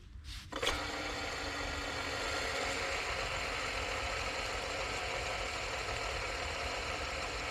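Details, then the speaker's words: 2002 Mercedes-Benz SLK32 AMG with the serpentine belt off: the hand-spun supercharger pulley gives a long, rough, gritty whirr as it coasts down. It spins well but is noisy; worn supercharger pulley bearing needing replacement. "so it spins well but it is making some noise I will need to look into getting that bearing replaced"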